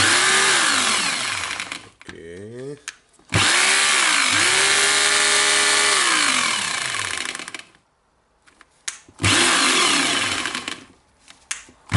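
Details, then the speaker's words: Hitachi/Koki DH28PCY rotary hammer before overhaul, bit inserted: runs up and hammers in sharp bursts but the bit is not retained; worn tool holder needs replacing. "I will try to insert that drill bit, and okay, it's not holding the drill bit. I will check if it hammers. It hammers, but the bit can see the gear."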